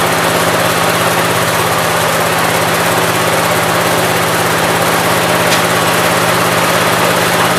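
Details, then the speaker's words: 1969 Gravely 432 engine after fixing extremely low carb float level; now runs decent, steady even hum with no stumbling or speed swings. Normal running. "so now it actually runs decent I knew that had to be something dumb"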